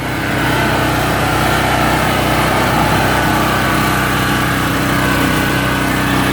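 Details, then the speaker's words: PowerSmart PS44 3000W generator that sat unused since 2017, on full choke, tank raised for fuel feed: steady but uneven run with a slight hunting note. "It's just a fuel thing. We'll jack it up. Make sure it has optimum fuel."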